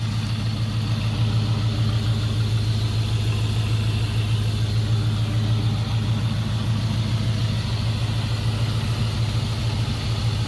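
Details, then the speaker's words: 1999 Ford Mustang GT 4.6 2V V8 idling with an uneven stumble about twice a second from a cylinder 3 misfire, later fixed with a new coil pack and spark plug. "so this was just a quick video so you can hear what a misfire sounds like"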